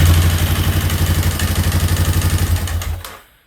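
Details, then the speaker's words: Free quad (ATV) after valves adjusted to factory clearance, valve cover still off; fast, even clatter about four per second over a thumping idle before shutting off; still loud, cause unclear. "I need to put that cover on. Still loud though."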